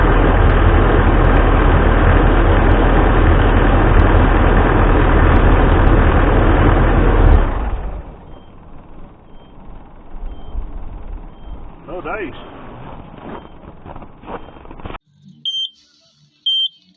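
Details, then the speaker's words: Takeuchi TL12V2 diesel track loader at -30C, with diesel additive added: it idles steadily, then shuts down, and two short high alarm beeps follow, still throwing SPN 1239 FMI 1; owner suspects summer diesel gelling rather than the coded high-pressure fuel leak. "I'll still throwing code 1239 FMI one I thought I had her there running for red well it's still throwing that same code"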